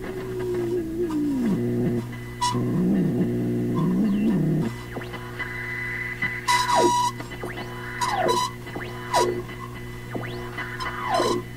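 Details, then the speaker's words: Philips Sonate BA581A valve radio while tuning: sliding whistles and warbling squeals over a steady hum, as if near oscillation or regeneration; owner suspects alignment needed, cause unconfirmed. "in the other conditions as we tune around it become much more obvious that it sounds like the radio is getting close to breaking into oscillation or it's a regenerative type sound"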